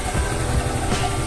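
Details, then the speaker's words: Scooter with the CVT cover open, checked for vibration and dragging, engine idling then given a little throttle: a low, even putter with no shudder or rattle and little movement; a smooth idle with no dragging. "wala siyang paggalaw no Wala siyang vibration or malakas sa vibration ngayon bigyan natin ng konting gas kung magkakaroon siya ng vibrate so konti lang yung galaw niya"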